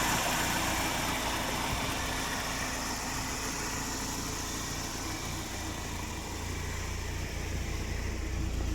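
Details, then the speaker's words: 1993 BMW 318is (E36) four-cylinder idling smoothly and quietly with no tick after oil pan redone; tick was caused by leftover old gasket piece letting air in; new motor mounts fitted. "so here now actually runs really quiet"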